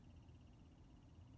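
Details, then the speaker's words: Tesla Model S at about 100K miles, cabin: faint, light, evenly spaced bird-like chirps over a quiet hum, which the owner attributes to the air conditioner; present since buying the car and not fixed. "sounds like a little bird chirping but the air conditioner makes this real kind of chirping noise I can put it up here"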